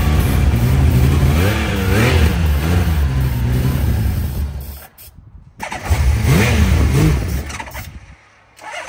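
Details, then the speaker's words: Honda CBX motorcycle, first start in at least 5 years on a charged battery and starter fluid: engine catches and runs in surging bursts, revs rising and dropping, cutting out twice; first start after long storage. "m now that felt awesome to hear this bike run for the very very first time"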